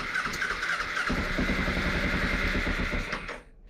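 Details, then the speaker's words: 2007 Kawasaki Ninja EX250 unrun for five years, cranking with starting fluid sprayed in: uneven sputtering, a sharp backfire pop, then dies; owner suspects a vacuum leak from the open fuel petcock vacuum hose. "Oh, it's trying, but I got a vacuum leak right here. I got the vacuum hose that goes to the fuel petcock wide open, so let me stick a bolt in it."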